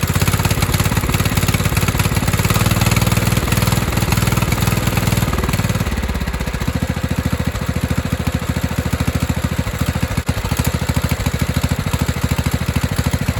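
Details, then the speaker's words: 1997 Craftsman lawn tractor, 16 hp Kohler Command single-cylinder, after sitting a while and carb cleaned: fires at an even steady beat, smooth with no misses or surging; thought to run good now that fuel was added after nearly running dry. "because he said it had been sitting for a while I think I started running good because it almost ran out of gas"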